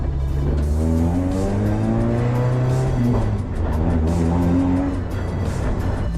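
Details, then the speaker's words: 2001 Toyota Corolla 5-speed 1ZZ Lemons race car with muffler removed for alignment work: loud, raw, raspy exhaust rising and falling with throttle, fully unmuffled, with a backfire noted. Loud exhaust, muffler removed. "It sounds like a race car without the muffler."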